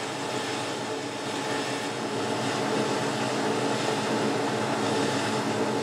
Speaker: the chattering you can hear there is the parting off blade hitting the two holes that are going through